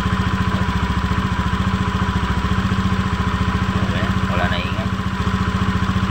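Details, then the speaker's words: Honda Beat FI v2 scooter, CVT cover off, running: even rattle of three to four knocks a second; confirmed worn, loose crankcase bearing letting the drive shaft wobble. "ng ingay R natin kasi dito lumalaki tik e natin d Inay pa rin dito maingay Crank Cas nga to oh magr dito sira yung ano Crank case confirm Crank case yung sira"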